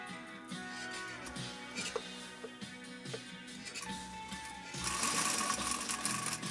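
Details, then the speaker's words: 1935 Singer 95-60 industrial sewing machine (ball-bearing arm shaft, cracked needle-clamp screw replaced) driven by a Swedish motor, light sew-off on lightweight material: quick, even stitching clatter at a steady pace. It runs smoothly. "we're not listening for the motor because we're using a swedish motor but you can at least hear the machine run and it runs beautifully"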